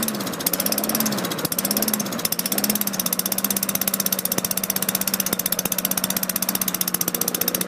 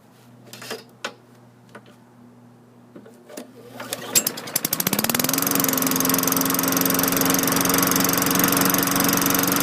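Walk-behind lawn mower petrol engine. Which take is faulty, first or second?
first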